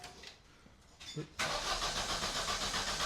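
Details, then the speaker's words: Vauxhall Astra being stripped, out of gear, foot on brake: starter churns steadily at about four beats a second but the engine never catches; crank no start though it has fuel, cause unknown. "What's going on? What do you mean, what's going on, bruv? It's obviously not starting, is it? Try again."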